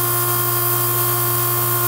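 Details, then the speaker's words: Newly installed 40-gallon gas water heater being filled: steady hissing rush of air escaping the line before water comes through; normal air purging from the water lines. "letting the air out here comes the water"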